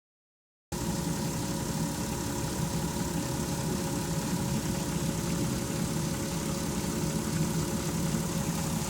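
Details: 2002 VW Jetta V6 at 158k miles, idling: faint constant-pitch whine with a soft wavering flutter in the exhaust note; P0321/P0322 codes cleared after crank sensor replacement, cause of the noise unidentified.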